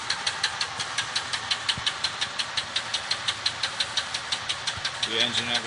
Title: Chevy Engine rod knock